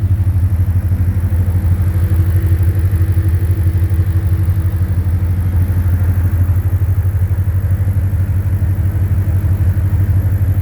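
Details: 2010 Ford Mustang GT V8 at idle: an even bottom-end knock of about three per second under the exhaust rumble, louder by the oil pan and torque converter/transmission. Suspected rod knock, lifter tick or loose torque converter; unconfirmed.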